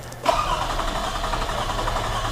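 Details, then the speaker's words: Older Toyota Camry with intermittent no-start and backfiring: starter cranks steadily with even rhythm but engine never fires; no IGF ignition confirmation signal and no coils firing, coil IGF circuit suspected; crank, no start, no spark. "wow now it's a no start again no ignition confirmation signal because no ignition event is taking place"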